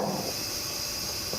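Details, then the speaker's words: John Deere LA115 mower deck spindle, removed and spun by hand: steady dry rasp with a hiss, no smooth roll; worn spindle bearings grinding, causing vibration and needing replacement. "and there's your spindle and here again you hear that grinding noise that shouldn't be there"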